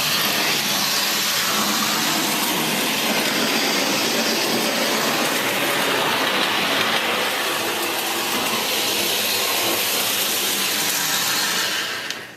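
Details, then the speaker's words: American Flyer 3307 locomotive motor after armature rewind, run at low speed outside the shell: smooth, constant high whir winding down at the end, no catches or rattles; ran 15 minutes and stayed cool. Normal motor run. "You low speed performance, and it runs real smooth. It runs cool. I ran it for 15 minutes. It didn't even get warm, so I'm real happy with the way this works."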